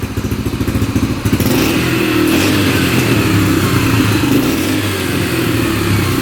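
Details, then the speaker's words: Freshly rebuilt 2003 Yamaha TTR125 single-cylinder dirt bike after repairing an engine knock: a quick, steady popping idle, then a smooth, even run after a blip, with no knock. It is nice and quiet, and the fuel screw may be backed out for more fuel. "Sounds pretty good. Might adjust that that fuel screw a little bit out more, allowing more fuel in. Nice and quiet engine. That's really quiet."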